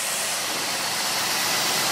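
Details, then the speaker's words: 2004 Cadillac DeVille Northstar V8, jump-started with a Hulkman 10.0 from a 7.2-volt battery in deep snow: started right up, a half second slower; a steady, even hum and hiss, no stumbles or knocks, normal idle. "car started right up car did start right up it took an extra half a second"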